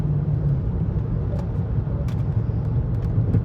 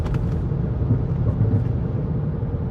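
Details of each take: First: Rebuilt Chrysler 300C cruising on smooth road, air conditioning off: steady low droning growl under road noise like a mud tire hum, sway bar links also rattling, ABS/ESP light on; wheel hub bearing growl. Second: Chrysler 300C driving after refitting the original front hub: only a soft, even low road rumble, no hum, growl or grinding, much quieter than before; remaining noise is a tire scuffed from the loose hub; hub quiet.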